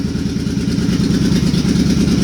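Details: Suzuki Boulevard C50 V-twin after a new fuel injector and Cobra FI2000 fuel controller install: steady lumpy idle, even firing pulses, no skips; owner had a slight idle miss before and feels this fixed it, no engine noise.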